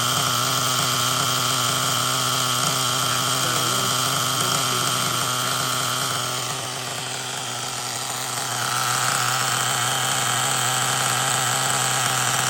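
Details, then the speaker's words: LRP 32x Spec 4.1 nitro engine, first break-in tank, cold garage, engine pre-warmed to ~200°F, factory needle settings, exhaust through a long pipe: high steady buzzing idle; restriction makes it run rich, needs leaning out. "the pipe has a little bit of restriction in it so it will make you run rich so you want to lean it out a little bit"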